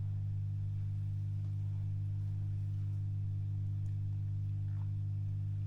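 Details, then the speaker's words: Late-1940s/early-1950s Masco MA25N tube PA amp, not powered up for years, being converted to a guitar amp; a loud, steady, buzzy mains hum that grows stronger as the voltage is raised, because the filter capacitors are completely shot. "I think we can safely say that the the Caps are shot completely and utterly and you can hear the humming is much stronger now"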